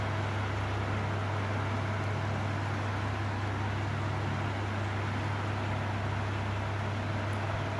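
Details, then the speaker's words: Elcon 16-inch desk fan after motor repair removing 7 rattling coins (rusted motor, bearings need slight oil): quiet, even hum and soft airflow, no rattle or ticking; running normally. "It's not much of a loud fan, obviously."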